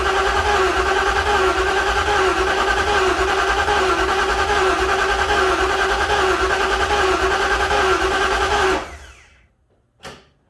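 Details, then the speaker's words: 1956 Ford F-100 engine, first crank with oil and transmission fluid but no coolant, no oil pressure yet: even rhythmic cranking about three turns per second, no catches, no start; turns over freely, normal. "No oil pressure yet, but turning over good, so that's always a nice sign."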